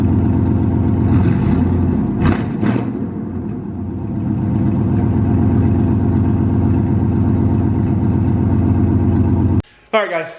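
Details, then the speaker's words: 1998 GMC K2500 V8 at idle after replacing header gaskets: even idle with a light soft puffing tick, much quieter than before; small exhaust leak remains at the rear, suspected header hole or incomplete weld on new collector. "I started it up and we still have a little bit of puff of smoke coming from down in the back I don't know if we got a small hole started in the header or if it's where um the weld's not 100% around the top of the new collector piece"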